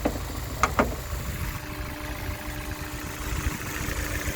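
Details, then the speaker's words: 2004 Honda S2000 at about 109,757 on the odometer, initial startup heard with the hood open: light taps, then a steady, even low hum with no misses or knocks. Normal idle, though a coolant smell and possible coolant leak were noted under the hood. "So as you can see, it seems to be running pretty smooth."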